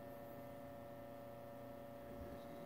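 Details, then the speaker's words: 1942 Zenith 7S682 radio-phonograph record player drive assembly, soft sticky rubber wheels and cracked idler wheel: quiet steady low hum, no knocks, scrapes or wobble; turntable drive runs smoothly. "hot damn check that out guys and look at listen to that if you can that doesn't sound too bad I think that's going to work"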